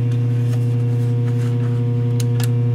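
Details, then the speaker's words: Traynor YCV40 guitar amp with speaker connected, standby pressed: steady low mains-type hum continues unchanged, standby not muting; standby FET warm and passing current, blown FET or other circuit fault suspected. "no so i've just pressed that and nothing's happened at all okay i'm going to turn off a bit of a funny noise come out of it too i don't like that"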